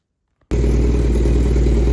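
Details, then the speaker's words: 1987 Honda CBR600F1 start after restoration, no muffler, still burning carb cleaner, carbs not yet synced: abrupt start into loud, steady, even open-header idle, no knocks or misses; normal idle. "Here we go, she's idling. Still burning some cleaner out of the carbs. Uh smoke off the header. And no muffler."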